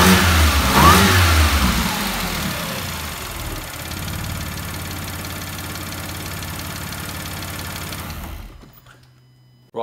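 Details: Salvage Audi S4 after fitting the crank pulley, pulleys and both belts: the engine catches, revs cleanly and settles into a steady, even idle with no knocks or squeals. Normal start, idle and revving.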